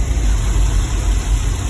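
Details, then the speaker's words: 2010 GMC Savana 1500 4.3 V6, previously a no-start with no spark and no codes after PCM replacement, now idling while ignition module drivers are scoped; deep, steady, even rumble with no misses or ticks; normal idle. "blue so all this three signals look the same and look good to me engine is running okay that little s is expected because the coil takes a lot of power"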